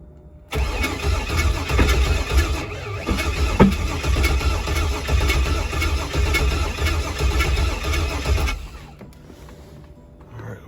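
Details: Pontiac G8 build on engine start take six. Steady, even cranking for about eight seconds but it never fires. TPS reading is seen and a crank signal is believed present; the cause is unconfirmed.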